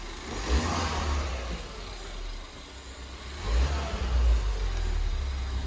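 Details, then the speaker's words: Fire-damaged Ford Fiesta ST 215 being rebuilt, first revs after ABS codes cleared: low engine note swells and drops twice as the throttle is blipped, picking up cleanly without hunting; normal revving. "give it a go mate hopefully it revs up as well that's better yes"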